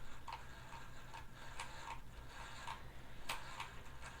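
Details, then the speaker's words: HPI Savage XS Flux RC truck, drivetrain spun by hand on the bench after crunching while driving: faint uneven clicks a couple of times a second; diffs spin smoothly, owner suspects lost tooth on pinion or spur gear. "you hear that crunch. Think I might have lost a tooth on the pinion or the spur."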